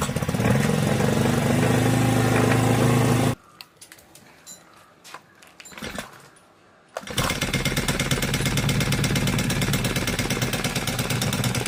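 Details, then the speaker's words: Honda GX35 brush cutter: light sewing-machine-like metallic ticking about three per second over the engine buzz; valve tappet clearance most likely out of spec. "If your brush cutter sounds like a seing machine and has this similar metallic ticking noise, most likely the valve tapet clearance is out of spec."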